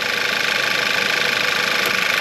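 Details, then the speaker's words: VW Eos first start after engine and transmission reinstalled, apart almost 3 months: steady, even idle with a smooth regular beat, no knocks, ticks or rattles, no leaks underneath. Engine sounds healthy. "oh my God oh it sounds good nothing all right nothing leaking out the bottom no abnormal noises"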